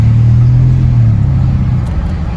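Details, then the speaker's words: Ford F150 after fitting a new throttle body with a blue spacer: deep, smooth, even rumble under light cruise with no ticks, knocks or whine; turbo sounds louder than before, engine healthy. "it sounds pretty good though just taking a nice little drive going around the"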